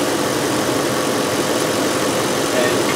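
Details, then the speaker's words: 2005 VW Touareg 4.2L V8 with lean faults and a stiff brake pedal: steady idle with a constant airy hiss near the brake vacuum lines and mechanical vacuum pump. A heavy vacuum leak is suspected. "here it sounds like see me up here it sounds like there is a pretty heavy vacuum leaf which would explain our stiff brake pedal and could potentially affect our fuel trims"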